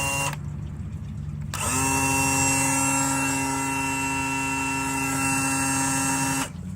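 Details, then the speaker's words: 2000 Johnson 115 outboard, starboard-side engine: electric trim/tilt motor runs with a steady, even whine and hum for about five seconds with no load change, but the leg won't lower. "Wait a second. How come that one's not going down? Uhoh. You got to be kidding me. Now, now this one has a problem."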